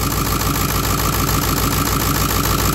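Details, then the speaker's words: Ford 7.3 Power Stroke diesel in a front-end-damaged California Excursion, just started via starter bypass: steady, even idle clatter with a firm regular low pulse, no misses; no smoke, no blow-by, a little vapor; healthy. "you take this guy and touch it to positive no smoke fires right up no blow by which is a big big deal for me little Vapor"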